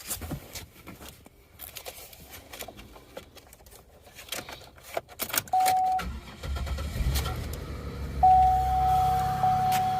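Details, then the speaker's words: Camaro with 90,000 miles, possibly 3800 V6, at idle: steady mooing squeal coming and going at one pitch; suspected belt dragging over a seized pulley, possibly alternator; seized pulley belt squeal. "runs definitely needs a uh a pulley or something I can hear it let's look but it runs with only ninety Thousand Miles"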